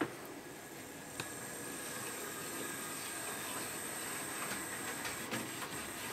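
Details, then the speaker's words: Hornby P2 Cock O' The North model loco after replacing the original flywheel motor (blamed for jumping into life, sticky running) with a new motor plus two capacitors, body refitted: soft even motor hiss, light track clicks, no grinding; smooth running. "let's have a try a look at that that's better that's more like I would have expected really well that's a"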